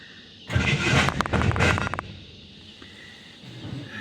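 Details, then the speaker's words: Truck starting: harsh grinding crank for about 1.5 seconds then abrupt cutout, happening nearly every start over recent days; owner believes the starter is going bad, not the battery. "The starter goes to turn and then stops, you know, B and every time. And you hear that grinding."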